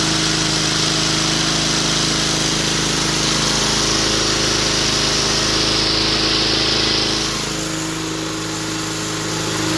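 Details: 2004 Cub Cadet Cyclocut mower, Kawasaki 179cc ~5.5hp, running with homemade air filter manifold; steady even high-pitched drone holding speed ten seconds without surging or missing; normal running.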